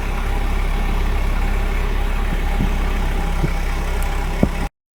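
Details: Volvo 740 with wet spark plugs, cold start: low, uneven idle with a wandering beat and occasional stumble. It has always idled rough when cold and dies if very cold, but restarts fine. Cause not confirmed.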